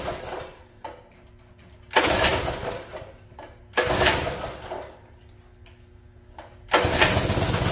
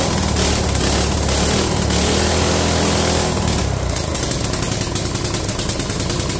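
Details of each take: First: Free mini bike pull-start engine, sat for an unknown time and possibly cold: three short pulls turn it over but it never fires; water found in the float bowl and fuel supply suspected. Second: Free mini bike small single-cylinder engine after draining water from the carburetor float bowl, throttle not working: steady buzzy beat around two and a half pulses a second; idles fine on its own.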